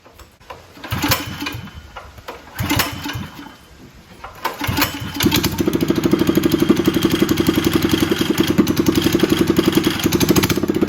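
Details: Predator 212cc engine just after Stage 1 kit install (breather, header exhaust, performance air filter) on jack stands: a couple of pulls, then catches into a steady even putter with no misses or knocks; healthy.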